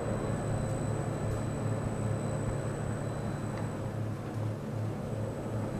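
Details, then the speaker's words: Antique 48-inch ILG Electric Ventilating Co. self-cooled motor fan, restored into a box fan with the electrical work completed, running; headliner material damps the small cooling fan, and a contactor click ends the run. Steady low hum, even airy rush, no knocks or rattles: normal running. "Yeah, I like it. That click at the end is when the main power transformer over there, the contactor, turns it off."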